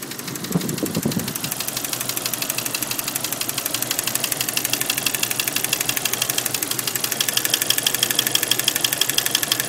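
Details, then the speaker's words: 1992 Jeep Cherokee Laredo 4.0L inline-six idling with a sharp, steady tick about three times a second over the engine note, which sometimes slows or stops altogether; owner does not know the cause. "yeah sometimes it goes from uh clicking really fast to not clicking as much like it did there and then some once it stopped all together"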